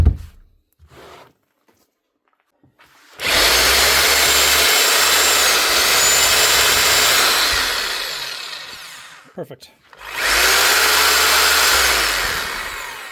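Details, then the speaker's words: Bosch GBH4-32DFR SDS drill after the broken field was replaced, one of two faults found. Two clean, even high-pitched motor runs spin up and hold steady speed without cutting out: running normally. "Re-gosh, up and running. For not that bad of money."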